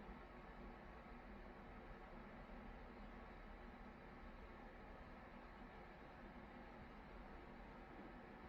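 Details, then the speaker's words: Amana/Whirlpool-built electric top-load washer, after belt conditioner fix for loud spin screech: calibration run (rinse-only, speed sensor calibrating) now has only a faint even hum with no squeal; belt drive quiet and healthy. "when I did this calibration test a minute ago that right there was squealing really [Music] loud and now it's silent that's what you want"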